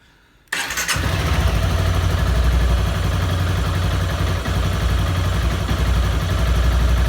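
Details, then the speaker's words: Honda CBR 250R, about 20,000 km, started after a long lockdown layoff, battery feared flat: catches right away and settles into an even single-cylinder idle with no valvetrain clicking or knocking; normal start and idle. "और बाइक तो हो गई चालू, उसमें कोई दिक्कत नहीं थी।"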